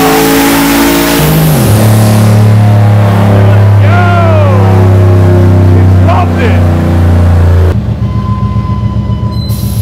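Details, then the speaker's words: Turbo V8 Lincoln Mark VIII on the dyno with added ignition timing, making about 500 wheel horsepower: deep, steady roar at full load with a sharp lift-off, no misses; healthy full-load pull. "dude it sounds nuts it sounds so good this thing had 500 wheel horsepower"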